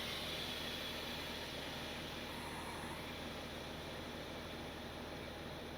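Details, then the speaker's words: Truck lift axle air valve working normally after switch flipped: steady strong rush of air with no stutter as it dumps the suspension bags and inflates the lift bag, raising the axle. "it's dumping the air out of the suspension bags and inflating the lift bag. And look at that, the axle's going up."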